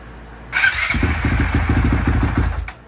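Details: 2020 Honda CRF450X after repair with a new part, still without oil or water: fires at once into a quick, even single-cylinder popping idle for about two seconds, then is cut; starts cleanly and sounds healthy.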